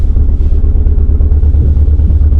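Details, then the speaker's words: 2016 BMW 428i xDrive (F32) on a short test drive: a deep pulsing drone that never smooths out; the engine is cutting, choppy and rough, better than before but still misfiring, cause not yet found. "That's shaking. I don't know if you guys can hear it or not, but it's like it's cutting. It's not like like it doesn't seem right. To be honest with you guys, it feels much better than before, but it still doesn't feel right. It's not smooth. It's very choppy. It's very rough."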